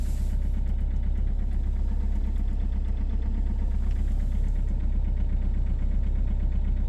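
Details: 2.0 HDi diesel cold start at -16°C: heavy, fast knocking stays loud and steady over a rough idle just after the frozen start; cause not yet found; cold start knocking.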